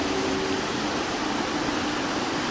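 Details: 2012 Mazda 6 3.7-litre idling from cold, temperature gauge mid, not overheating: loud steady rush of air with a faint hum, radiator fan stuck on high speed; owner suspects the fan control module rather than the coolant sensor, and replacing the module fixed it.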